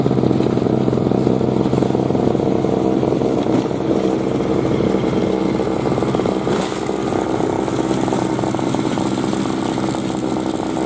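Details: 2003 Murray single-stage two-stroke snowblower, unrun 5 years and once leaking gas, clearing snow: buzzy steady note holding speed without stumbling or cutting out. Normal, healthy running under load.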